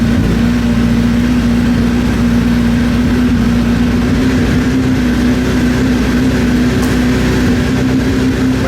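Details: Gen 1 Suzuki Hayabusa four-cylinder after cam chain and kickstand switch replacement, just started and warming up: smooth steady idle hum, previous cam chain noise and rattle gone, some smoke from oil burning off the pipe.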